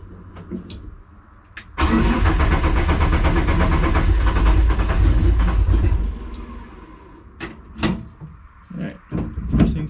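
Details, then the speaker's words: Petrol car hard start: cranks about four seconds reluctantly with a slightly weird noise, then runs fine; misfire usually appears only once warm in closed loop. "first does not want to start whatever that be made a little bit of a weird noise but now it sounds good"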